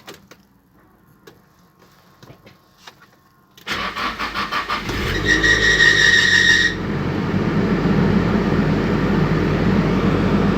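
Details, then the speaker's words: Nissan 200SX S14 SR20DET after V-belt replacement: brief crank, then a sharp high squeal for about two seconds at start-up before idle; one of three V-belts squeaks intermittently, also when the heater is switched on. "you could hear the squeaking very well The Problem is we have 3 v-belts 3 different v-belts"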